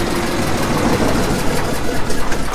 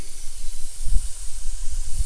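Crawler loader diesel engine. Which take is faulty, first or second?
second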